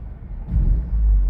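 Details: Audi A4 with rough idle and stalling, rough on throttle then evening out: low, lumpy idle that sags and surges as if about to die; rough idle nearly stalling, cause not identified.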